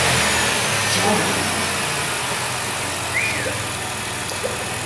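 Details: High-mileage 2008 Dodge Grand Caravan, replacement 3.8 L engine just started and coolant filled: a few light blips settling back to a steady idle, no knocks or rattles; runs clean.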